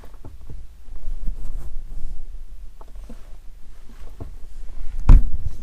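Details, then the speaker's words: Subaru clutch pedal worked with the engine off: sharp, irregular clicks about once a second as the pedal is pressed; clicking noise when pressing the clutch, cause not yet found, owner heard of a possible recall and is taking it to the dealer. "get you closer all right hopefully you guys heard that clicking noise so yeah I'm going to take it to Subaru right now"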